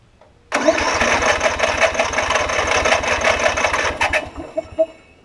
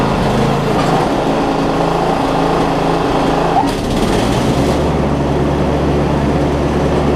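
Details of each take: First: Newer Snapper RER rear-engine mower with auto choke, old fuel: starter churns about four seconds with no firing; cranks but no start, suspected no fuel delivery, possibly bad gas, water or a clogged carb jet, not confirmed. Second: Newer Snapper rear-engine rider mower with push-mower-type engine, after carb bowl drained at the bowl nut and spark plug swapped: steady, even engine drone holding one speed without surges or stumbles; running smoothly now.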